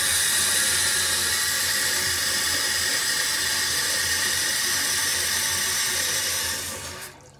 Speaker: The loudness on this thing is real. Kind of hurt my ears, actually.